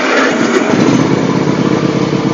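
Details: John Deere X324 all-wheel-steer mower that had been running rich, with the blade engaged: the small engine settles into a steady, even buzz with no stumbling or surging; unburned gas in the muffler causes some smoke. Normal running.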